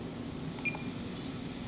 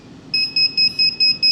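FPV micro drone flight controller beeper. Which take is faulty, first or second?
first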